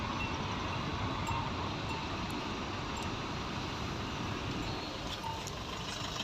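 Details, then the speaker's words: Maruti Swift Dzire at 87,762 km, just after engine flush with new engine oil and oil filter; restarted at idle, smooth even hum with no knocks, ticks or rattles, sound noticeably better than before; healthy engine. "Idol पे start है, एक बार बंद करो फिर दोबारा करो। पहले से साउंड में थोड़ा फर्क हो गया है, साउंड अच्छा है।"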